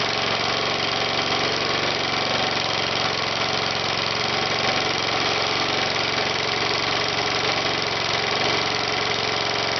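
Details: Small engine on second run with cork piston crown, run without oil, cylinder scored: raspy, uneven buzz with irregular tapping as cork chunks hit the cylinder head and blow out the exhaust; piston crown failure.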